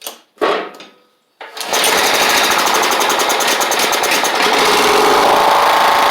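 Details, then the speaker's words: Toro Proline walk-behind mower with Kohler Command engine, after new spark plug and carburetor, sat since April: a couple of pulls, then catches and runs steady, even-firing with no misses or surging; normal running. "That's great. That is excellent. I should have fixed this thing 6 months ago as soon as I got it."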